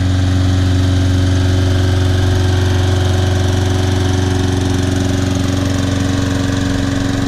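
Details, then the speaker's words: Trash-picked Toro Personal Pace Recycler self-propelled mower after carburetor cleaning, tank flush (old dried gas, some water), brittle rubber seat replaced and new air filter; started first pull, smooth even drone at constant speed, no surging or sputtering; runs great. "Wow runs great very nice mower bought it back to life"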